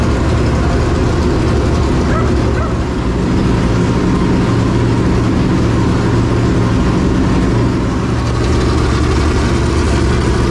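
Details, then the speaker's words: Clements Racing super late model race V8 after re-angling the oil pump and easing belt tension that shredded the belt: loud, deep, lumpy but steady idle rumble, even beat, no knocking or belt chirp; idling fine. "Sounds real good, but basically we took and aligned it better. angled it better, I guess, really would be the thing."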